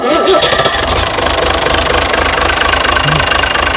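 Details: Mystery old six-cylinder Perkins turbo diesel from a farm, no history: cranks, catches quickly and settles into an even, steady idle clatter with no knock or miss; normal healthy idle.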